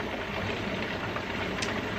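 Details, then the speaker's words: Pressure canner heating while canning chicken tortilla soup, before the 10-minute venting period: steady, even hiss of steam escaping the vent with no sputter or rattle; the pressure indicator has not popped up yet; normal venting. "you can kind of see how it's steaming out of there you can also really hear it"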